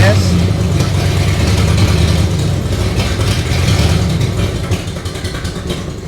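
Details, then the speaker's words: Carbureted 50-year-old vehicle (1976 Chevy or 1964 Chrysler) that ran smoothly, then sat a few weeks: low, uneven idle stumbling every few beats with a dead miss; owner suspects spark plugs or debris in the carburetor. "Yeah, it's just running like garbage. So, I'm thinking one of two things."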